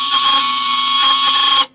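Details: Laika Ecovip 200 I camper van range hood extractor fan: loud, steady buzzing whine with sharp tones over harsh hiss, then cuts off; owner thinks a worn pin on the rotating axle causes the noise.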